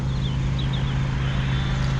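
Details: Honda 2000 W inverter generator started with choke on and old petrol, not run since the last video: smooth, steady low hum at constant speed with no hunting, misfires or rattles; normal running.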